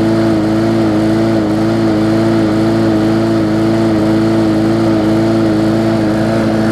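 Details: Bolens push mower with a Briggs & Stratton engine (classic or newer OHV), restarted after refitting the air filter following no-start repair. Smooth, steady drone at constant speed, no surging, misfires or knocks; running normally.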